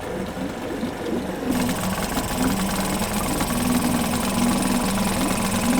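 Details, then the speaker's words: Yamaha 5 two-stroke outboard on internal tank, after high idle speed was lowered, check-port stream flowing: steady even buzzing idle, no knocks or misses, smooth throughout. Normal idle. "We decrease the overestimated idle speed, check that the stream from the check port is going. The motor runs and works"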